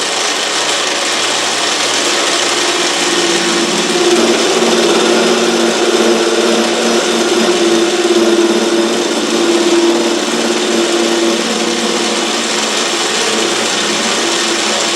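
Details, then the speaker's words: Autobox 8x16 mini lathe facing a part by hand feed: motor and scraping cut with a tone that comes and goes as the tool bites then misses, leaving a centre nub; tool set below centre height. "You hear a hit and then not hit. Now we still got a heck of a nub in the center there. So, that's telling me that this is still not high enough."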